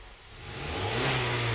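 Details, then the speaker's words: 2017 Honda Accord after installing a new drive belt to cure a whining noise at startup and acceleration: engine rises smoothly from idle into a clean rev, even steady tone, no whine; belt drive now healthy. "let's start it up okay let's see and boom no more noise guys nope"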